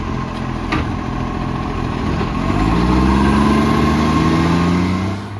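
Steady diesel idle with a rhythmic puffing tick, around four per second, riding on the exhaust note; that points to an exhaust leak.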